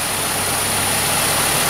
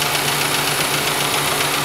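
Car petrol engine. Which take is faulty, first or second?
second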